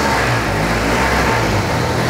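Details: 1952 Triumph motorcycle, not run in a long time, first start attempt after repair work. The engine catches and runs with a strong, even roar and steady revving, no misses or knocks. Normal running.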